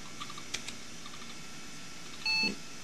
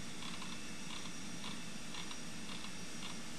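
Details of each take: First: NEC Ready 9625 PC at power-on after hooking up CPU heatsink fan, 32 MB RAM counted; quiet room, a few soft clicks, then one short clean beep as memory count finishes: normal single POST beep. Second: NEC Ready 9625 PC during software install from disk: sharp light ticks about twice a second over steady fan hum, seek chatter of a struggling drive; cause suspected, not confirmed.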